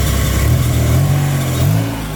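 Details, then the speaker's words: MR2 with newly swapped V6, first start after oil priming: uneven idle, low drone wavering and surging; suspected vacuum leak, the hesitation then clears itself. "Oh, it's hesitating. Vacuum leak somewhere."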